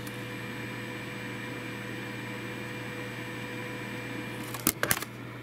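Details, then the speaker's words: Dell Optiplex 960 small form factor PC, fan plugged in for the GT210 graphics card, heard loudest at the rear: steady loud whooshing roar with constant hum, like a jet engine, an overly loud cooling fan. "it's noisier than sin so let me actually go and plug the cooling fan in and show you exactly what i mean it now sounds like a jet engine it's more noticeable back here obviously"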